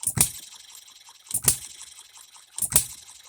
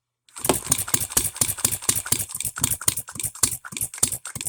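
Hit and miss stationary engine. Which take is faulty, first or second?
second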